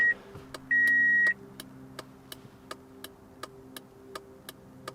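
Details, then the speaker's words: 2004 Toyota Corolla with LED turn-signal bulbs, after replacing the flasher with an LED flasher: a short chime, then even relay clicks about two per second in a quiet cabin; hyperflash cured, normal turn signal flash rate. "and if you can hear that it's a slow flash so we solved our problem"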